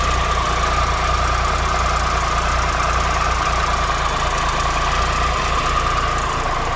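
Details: 2013 Triumph Tiger Explorer triple, 34,000 km, at idle after new OEM cam chain, hydraulic cam chain tensioner and exhaust header gaskets: steady idle with a light, even valve tick about three per second, far quieter, no excessive ticking; normal idle.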